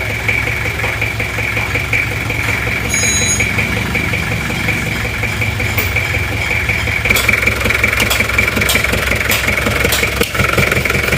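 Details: Toyota Kijang LGX diesel with bok-bok noise at the air filter, louder with filter removed, like compression blowing back into the intake manifold: uneven idle with soft chuffing puffs; intake valve leaking from too-tight valve clearance.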